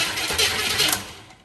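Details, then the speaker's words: Mockup engine in a 1948 Pontiac Silver Streak, now on a Topdon jump starter after 20 minutes of failed tries on a charger: brisk, strong cranking catches quickly into a loud burst of running, then fades off. The starter gets plenty of current. "that's insane so top Dawn thank you so much this is amazing and we've been trying to get this scene to fire for like the last 20 minutes because battery charger is not giving it enough even on jump it's not giving it enough"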